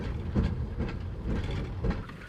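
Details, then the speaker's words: Car after a quarter-mile run at 103 mph, heavy blow-by, water blowing everywhere, suspected head gasket: heavy regular clunks about twice a second underneath while rolling; broken rear axle. "It's got a weird noise underneath. Blowing water absolutely everywhere. Oh, the rear end's broke."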